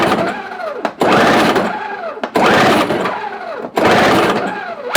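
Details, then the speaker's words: Toro CCR 1000 two-stroke snow thrower with engine swapped from old Snapper, cold start attempt after priming, little fuel added: electric starter whirs in about four one-second bursts, engine never catches. "Alright, so we got nothing going on. Make sure we got fuel going in it. Didn't put a lot of fuel in it."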